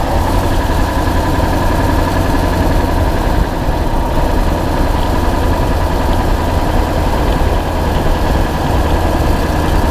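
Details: 2000 Ford F250 7.3 diesel at idle, GoPro spring-mounted: steady heavy rumble with a fast sharp tick over it, from an exhaust leak.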